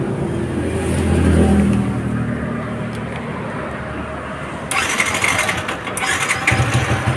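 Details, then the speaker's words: Yamaha New Vixion motorcycle that had only clicked on the starter, after the new starter part was refitted: a short starter whir catches at once and the engine fires and settles into an even run, a normal start. "Oke, bisa hidup ya teman-teman ya."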